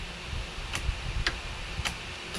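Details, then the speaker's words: Craftsman LT2000 lawn tractor repowered with a 20HP Kohler Courage engine, battery on the charger, key turned with the brake pressed: the fuel solenoid on the carburetor clicks, but the starter solenoid is not working and there is no cranking. "but this but the starter solenoid is not working"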